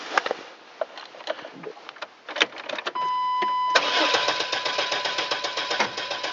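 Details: GMC Safari van, sat unused much of the winter, 14°F and windy: chime, then even cranking at about four compression beats a second but never catches; crank no start.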